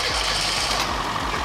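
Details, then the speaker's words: Classic Mini Cooper abandoned in a barn for 15 years, newly revived, starts and runs but doesn't drive yet; small petrol engine at fast, slightly uneven idle under heavy hiss; normal running. "this little thing is actually starting and running but it's not driving we need to sort it"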